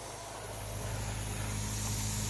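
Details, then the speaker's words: Winter blowout of a Rainbird 9-zone sprinkler system in Utah, zone 1 running 3 minutes, compressor air line connected: steady airy hiss from a sprinkler head over low compressor drone, no water gurgle; line nearly dry. "And you can hear the air coming out of the sprinklers. Gonna have a few that are gonna start spitting."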